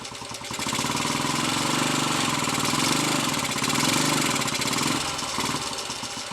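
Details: Royal Enfield 250 five-speed, third gear badly worn and jumping out into false neutral under load; here fourth gear loaded, engine note climbs and holds steady with no rev flare or clunk, stays engaged: normal gear engagement under load.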